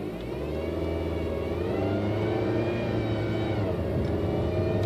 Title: 2006 Honda Civic whining noise when driving